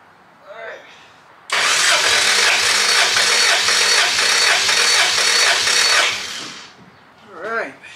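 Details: Dry compression test, cranking the last cylinder (number one) while battery voltage is monitored. An even beat of about two per second with no weak stroke, reading about 180–183 like the other cylinders, so compression is healthy.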